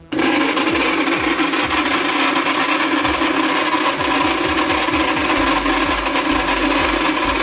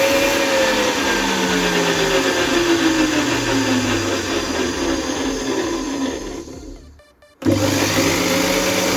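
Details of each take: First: ARSHIA TURBO FORCE 3000 meat grinder with metal-gear gearbox, before repair; loud harsh grinding over a steady motor drone when switched on; dry, unlubricated gears grinding. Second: ARSHIA TURBO FORCE 3000 meat grinder after the metal gearbox gears were lubricated and reassembled: steady motor whir with a smooth, even gear hum, no grinding or knocking; the loud noise, caused by a lack of lubrication, is almost gone.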